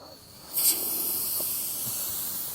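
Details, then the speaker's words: Kawasaki 300 ATV, long-sitting, now idling on its own with choke off: after a short pop, constant high hiss of air escaping steadily from a puncture in the tire; tire air leak. "That is good enough, but I can hear the hiss coming from the tire."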